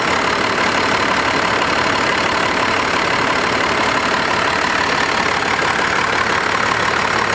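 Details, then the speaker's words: 12-valve Cummins diesel truck, non-intercooled, about 750,000 miles, just started: steady diesel clatter at idle with an even rhythm, no knocks, misses or surging, engine sits dead still; healthy normal idle. "Just beautiful, purrs like a kitten. Like no like odd shakes in the engine, no like odd rocks or, I mean, it just sits dead still. It just sits so still."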